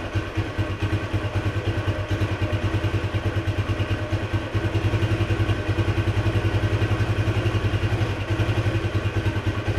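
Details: 1976 Honda XL175 single-cylinder after restoration, riding under load: steady thumps with a slight surge, and revs rise without matching pull. The clutch is slipping, even worse than before.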